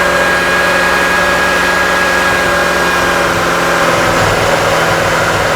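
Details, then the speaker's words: Chrysler 2.5L with P0171, pinging, stalling and misfiring, not a fuel system problem: steady idle with an occasional stumble and uneven low thump from an intermittent misfire, as the crank and cam square waves on the scope go erratic. "you hear the misfire Spartan you start seeing the square waves getting all wigged out at the same time"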